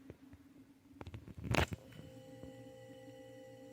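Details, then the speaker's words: Mini beer fridge of unknown age that had quit, compressor restarting promptly: a click, then a steady low electric hum that holds evenly as it is unplugged and replugged; normal compressor start. "all right hear that turn it right on let's unplug it and plug it in again right back on"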